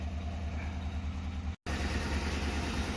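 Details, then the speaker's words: 2004 Ford Crown Victoria Police Interceptor V8, cold start after the engine bay was washed and the electronics soaked, with a check-fuel-cap message; uneven, lumpy idle pulse with occasional stumble: rough idle with misfire, possibly one cylinder, not confirmed. "so let's see what happens check fuel cap okay oh she is a little angry but let her warm up"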